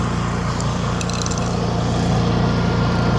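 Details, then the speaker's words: Honda EU3000iS inverter generator after carburetor replacement, choke pushed in, eco throttle off (regular run): steady even drone, constant low hum, no dips or hunting, holds speed cleanly; normal running. "We got eco throttle, so it's it's on regular run right now. Eco is going to make it more quiet."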